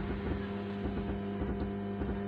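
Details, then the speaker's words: 65-watt amplifier with a newly fitted board, problem since fitting: music plays over a constant low hum and rough, smeared, distorting noise that stays whatever the tune; sound breaks up (fati awaz) at higher volume, cause not yet found. "आवाज़ के साथ में ऐसे गाना बजाता है तू गाने के साथ-साथ ऐसी आवाज़ आती रहती है"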